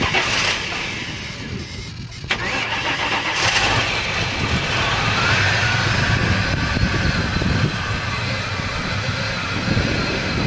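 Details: 2003 Cobra: starter cranks steadily at about three to four beats a second but the engine never catches; cranks, no start.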